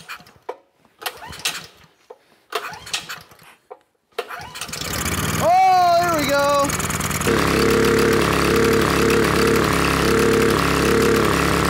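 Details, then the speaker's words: Rebuilt Honda GX270 (Predator 301cc) with aftermarket crank, valve springs, stage 1 kit, upgraded carb jets and air filter, first start; cranks, catches, hunts and surges into uneven idle; spark plug indicates running rich. "that's not good let me double check a couple things we'll be right back I pulled the spark plug off and it's indicating that the engine's running a little Rich"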